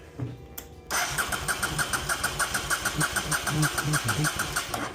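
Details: Non-running Honda Shadow VT750 Spirit with positive fuel flow to the carbs, chokes in use; even starter churning about three beats a second for four seconds, never catching; cranks without firing, later front cylinder stays cold while rear warms.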